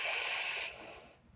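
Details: Icom IC-2000 transceiver on transmit (PTT pressed): a hissy, whistling squeal like howling goes out on air at any volume, not mic-to-speaker feedback.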